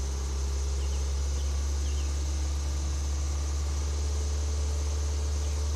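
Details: 2017 Nissan Micra SV, under 7500 km, 16 months in service, lightly driven; engine tapping since before 1200 km, dealer won't acknowledge; steady idle hum with faint light ticks, engine tapping at idle.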